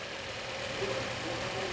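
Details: Car after antifreeze and oil service, final check before return: short, steady engine hum, even and free of knocks or misfires; a smooth, healthy idle.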